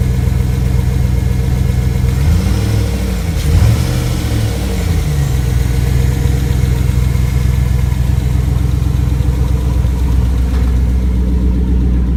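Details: Rebuilt 5.3L V8 after replacing a bad lifter, idling after final assembly: steady low idle with one quick rev that rises and settles cleanly, no obvious tapping; normal.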